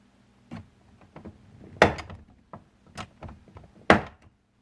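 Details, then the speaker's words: 2001 Chevy Silverado driver's door check, rubber boot missing, bouncing around as the door swings back and forth: irregular hollow clunks and thuds; worn, loose door check needing replacement. "That little rubber boot should be on the door. It's not, and yeah, it's bouncing around there."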